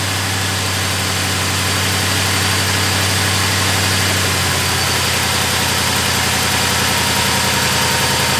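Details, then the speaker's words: Crown Victoria / Grand Marquis after replacing the belt tensioner, idler pulley and serpentine belt: smooth, even idle with a steady low rumble and no squeal, chirp or rattle, belt tracking correctly; normal idle. "As you can see, everything looks good. The belt is tracking the way it's supposed to be. And there's no crazy loud, weird noises."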